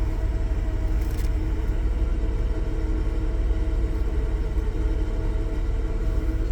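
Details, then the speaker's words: 1994 Chevy Astro Van (extended) V6 idling with oil pressure holding: low uneven rumble with a faint loose-sounding flutter in the exhaust, about three pulses a second. Owner says it sounds like a screw loose; cause unconfirmed. "definitely sounds like it's got a screw loose."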